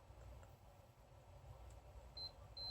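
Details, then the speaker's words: Asus J1800I-C/BR motherboard, multimeter in beep/continuity mode checking a pin path before powering on: quiet background, then a clear steady high beep confirming the pin connects to its trace. "Se elas estão fazendo contato direito aqui no modo BIP ou no modo continuidade."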